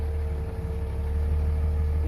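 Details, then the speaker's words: 2003 Dodge Ram 5.9 Cummins common rail with 320,000 miles, warm, after an in-frame bearing roll and a new thrust bearing: steady deep diesel idle in gear with a faint even hum, and the earlier bottom-end knock is gone. "sounds nice and smooth neutral back into gear sounds nice and smoo"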